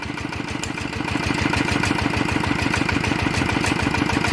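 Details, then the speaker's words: Walk-behind farm tractor engine upgraded from ET80 to 90 with all bearings replaced, on Cosmo frame: even thumping about three beats a second, quiet, clean and regular with no knocks; healthy single-cylinder diesel idle. "ครับก็ตัวนี้นะครับนับเป็นนาที90นะครับก็ฟังเสียงก็โอเคเงียบแป๊บนิ่มมีครับ"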